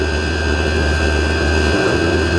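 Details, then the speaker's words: Diesel heater back on diesel after being cleaned of carbon clogging from running used HV46 hydraulic oil: steady, even roar with smooth blower hum, no popping or surging. Running again and burning clean. "Right, we'll come back when it's roaring. Right, it's running again. Burning clean."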